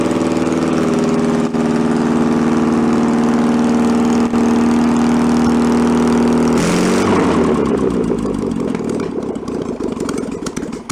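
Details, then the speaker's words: 1966 VW bus air-cooled engine, barn find, first run, primed with fuel into carburetor bowl: steady raised idle holds, then drops as sticking carburetor throttle fails to return; choke warming brings idle lower. "the car was kind of sticking to it's not return it step it up it's got a stepper on this is as the choke warms up it turns itself off and the idle comes down lower and lower"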